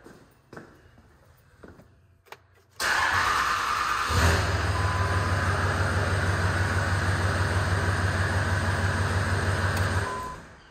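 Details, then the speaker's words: 2003 Cummins diesel truck that only started on ether, after replacing faulty valve with small orifice that let fuel return to tank: few clicks, fires instantly, steady even idle; normal start after fix. "so we got our new one on here and now the truck i'll show you guys fires right up because it's holding"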